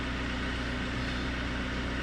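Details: 2008 Jaguar X-Type 2.0 diesel after the fuse box feeding the IMV was replaced: even low drone with no hunting, surging or knocking; normal running, rail pressure around 260 bar instead of the earlier 1800.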